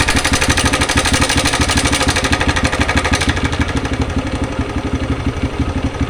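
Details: TVS Raider single-cylinder motorcycle at idle: a rough, uneven tapping of about three beats per second over the exhaust; abnormal engine noise, cause unclear.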